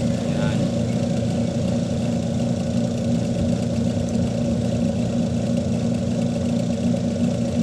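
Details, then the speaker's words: Panasonic 5.2 kg single-tub washing machine, after repair of missing plug and capacitor: steady low wash motor hum with smooth churn, no grinding or rattle, reversing every 15 seconds then forward again; normal running. "yan 15 seconds tapos forward ulit"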